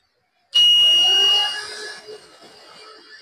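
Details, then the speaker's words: 24 V DC fan wired straight to power with no speed controller: loud, steady high-pitched howl at one fixed pitch that can't be adjusted or quietened. Fan howl at fixed full speed. "everyone, you can hear it howling . The sound is very howling, very loud, it can't be adjusted."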